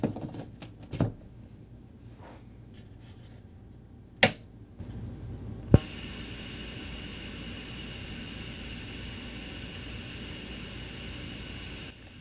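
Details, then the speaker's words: Oupes 1800 LiFePO4 power station guitar amp test, amp on grid power baseline: after handling clicks, faint steady hiss with low hum settles in; nice and quiet, normal amplifier noise. "Right, that's the sound when it's connected to grid power. Nice and quiet."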